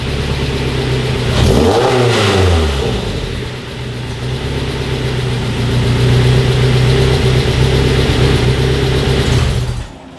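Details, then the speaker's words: Mazda NC Miata with a swapped 2.5 engine, running after its gummed, clogged 2.5 injectors caused a no-start. Even steady idle and a clean rev that rises and falls smoothly, no misses. Runs fine. "Otherwise, everything sounds good, runs fine, at least idling and everything."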